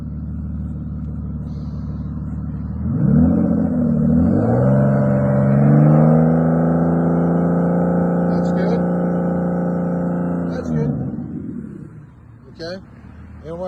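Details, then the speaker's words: 2002 Aston Martin Vanquish V12 after a non-start, idle held slightly raised (normally settles around 700–800 rpm warm): smooth, steady, even deep idle, no valve ticking or misses. "Nothing but smooth, quiet, no valve ticking noise or anything."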